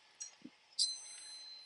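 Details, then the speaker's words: Electric water heater heating element tested with a multimeter on continuity, power wires disconnected: after probe clicks a steady high-pitched beep holds, showing the top element has continuity. "You can hear the the beep sound means we have continuity. So, for the top one, that one has continuity all the way through."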